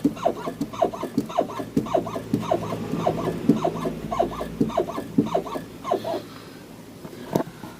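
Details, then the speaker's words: Nissan X-Trail T31, parked car rocked by hand: rhythmic rubbery creaks about two a second from both left and right front struts; cause found at the strut top/bump stop, dry front strut bump stop. "В общем, покачал автомобиль. И такой звук у меня исходит и с левой, и с правой стороны."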